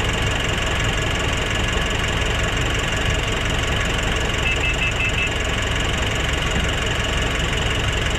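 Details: Nissan NV350 diesel after replacing the suction part, cleaning the EGR and intake manifold and doing turbo position learning: steady even clatter at idle, no hunting or surging; smooth, stable idle with power restored.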